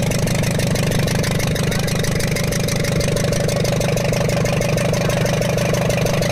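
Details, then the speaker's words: Ashok Leyland Captain 4923 BS4 diesel truck, low pickup, smoke and high PRV count, turbo/manifold disconnected: sharp steady ticking about three a second over idle; valve bridge on rear-first cylinder rocker had dropped out, raw diesel leaking there. "देखिए हमें जो है वाल bridge की problem मिली है जो हमारा पीछे से रियर साइड से फर्स्ट रॉकर आता है उसकी जो है वाल ब्रिज निकल के सटक के गिर गई थी दोस्तों उसके कारण यह साउंड बन रहा था"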